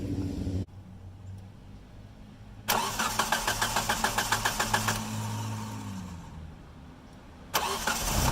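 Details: 2G DSM (Mitsubishi) after fuel filter replacement and fuel pump reconnection: starter cranks briefly with quick even pulses, engine catches and settles into a smooth steady idle; healthy start.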